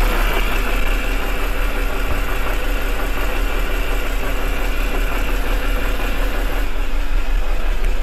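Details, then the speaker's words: BMW 323i 2.5 inline-six at idle: faint uneven stumble in the low rumble from a misfire that sets a code for cylinder 4 within minutes; low compression suspected, owner believes head gasket. "so I've got to start it out for this running you can probably hear the misfire in it"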